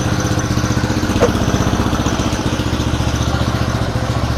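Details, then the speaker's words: Honda GL Pro under restoration, first start after rewiring with a new CDI (the old one had blown), new battery and ignition switch: an even, steady single-cylinder putter at low idle with no misses, knocks or rattles. "Terdengar ya kak suaranya? Jadi memang problemnya kemarin tuh CDI-nya memang meleduk kak."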